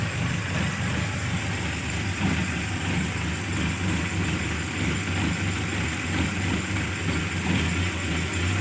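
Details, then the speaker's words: Engine after fixing hard starting, stumbling and low power (fuel cut solenoid valve opened and disabled, carburetor adjusted): starts instantly, steady even low rumble at idle with no misses, stumbles or knocks; normal idle. "Oke hasilnya bagus [Musik] hasilnya bagus langsung hidup ya mudah sekali hidupnya"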